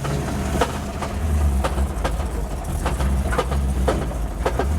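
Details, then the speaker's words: Lexus IS600 engine that failed at a drift day, rough running: sharp uneven clacks about every second over a low rumble. All the noise came from a failed hydraulic lifter; damage was much less than feared. "f that noise is a lifter. I can't believe that. All that noise is a lifter. That's a good shot. That lifter has gone on holidays."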